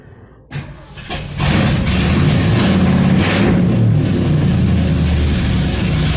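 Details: 1977 Mercury Marquis, Ford 400M V8, first start after new spark plugs and plug wires and distributor corrosion cleanup: cranks briefly, catches at once, settles into steady even low V8 idle rumble with no misses or knocks; running pretty good.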